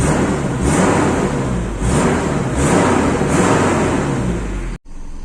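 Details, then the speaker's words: Toyota Kijang Super engine fully warm after about 10 minutes running, thermostat open, just after an engine wash; revs in clean even bursts, is switched off and restarted, fires straight back up and settles smoothly: normal start and rev. "ini mesin sudah jalan sekitar 10 menit ini sudah panas berarti thermostat sudah buka radiator saya sudah padat Alhamdulillah kita ada masalah suara mesin juga halus"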